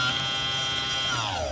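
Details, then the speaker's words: Tomos moped electric conversion, controller self-learn plugged in: sharp buzzing whine at high speed holds steady then slides down in pitch as motor winds down; owner thinks high speed just does that, cause unclear. "need a different yeah so that's just the high speed that does that i guess it's okay"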